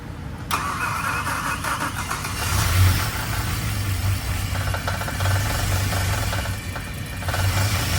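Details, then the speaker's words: Abandoned BMW M6 V10 6-speed manual, after refilling oil and coolant: long crank to build oil pressure, then catches and settles into a steady, even idle with no knocks or misses; normal first start. "Right now, I'm just going to crank it. Try to get some oil, and then um yeah, it should fire up."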